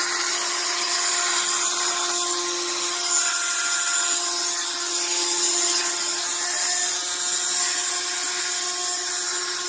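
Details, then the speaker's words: HARDELL 12V cordless mini rotary tool (6 speed settings, max 30,000 rpm), about 30 days old: high, harsh whirring with a gritty edge at constant speed. The motor grinds, cause unclear, and the tool intermittently stops working. "Listen to that noise. The motor is just, like I said, it grinds."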